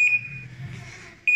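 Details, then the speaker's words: Panasonic automatic washing machine after a controller board repair for a no-power fault. Shrill high beeps about a second apart: an error alarm because the front panel is detached. "I mean nakatanggal yung pinaka panel kaya siya nag-error So okay na pinakamahalaga Nabuhay na siya may power na siya ulit"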